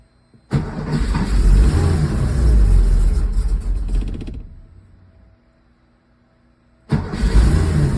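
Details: Porsche 911SC rough start with vacuum leaks and backfire; catches and runs lumpy with uneven pulses for a few seconds, dies, then refires.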